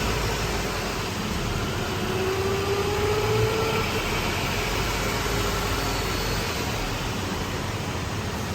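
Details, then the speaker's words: 2018 Honda Civic CVT after replacing worn drums/shafts with noisy bearings and belt, on lift in Drive: steady even drivetrain hum, no whine, grinding or knocking; transmission sounds smooth and healthy (oil level later found low and topped up). "अभी ट्रांसमिशन की जो नॉइज़ है वो मैं आपको सुना भी देता हूँ डी के अंदर गाड़ी को डाल के, ताकि आप डिटेल में सुन सकें।"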